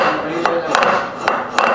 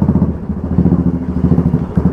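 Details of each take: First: Motorcycle rear wheel, sharp irregular hammer-like khat-khat knocks on clutch and braking; cush drive (coupling) rubbers worn and cut so sprocket carrier hits wheel directly, alloy wheel cracked at all four fins; fix is replacing coupling rubbers. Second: After a repair on the motorcycle rear wheel, hard sudden braking test: steady single-cylinder thump, no hammering khat-khat knock from rear hub that was present before repair; coupling quiet.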